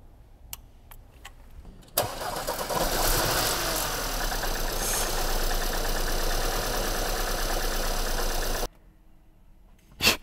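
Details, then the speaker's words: 2018 Porsche Macan 2.0 petrol four-cylinder, 95,000 km, cranking and idling with a faint uneven stumble; cylinders 3 and 4 misfire counts keep climbing beyond the standard range even after all four coils were replaced; petrol smell from the exhaust. "왜 3 4번 미스 파이어가 계속 올라 이거 표준 범위를 넘어섰어"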